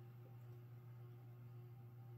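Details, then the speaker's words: 1980s 52-inch King of Fans Granada three-speed ceiling fan at low speed: quiet, steady low hum with no grinding or ticking. The bearings are quiet; the noise comes from vibration in the motor housing. "the bearings on the fairing are pretty quiet most of the noise you hear it is a vibration in the motor housing"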